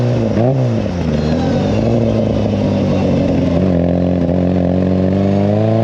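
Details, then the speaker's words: Classic Mini, 1330cc A-series engine, carbs balanced, timing about 12–15° BTDC: crisp throttle blips rising and falling cleanly, no misfire, knock or rattle; freshly tuned, pulling strongly and evenly. "Well, folks, as you can hear, this thing is an absolute weapon. I cannot explain how good this thing actually goes."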